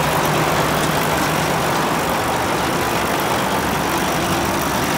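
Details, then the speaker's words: New Holland BR770A round baler after fire repair with new main drive roller, belts and bearings: even, steady rumble and whir with no knocks, squeals or grinding; much quieter, running smoothly. "oh yeah much quieter just where the wind got a little bit"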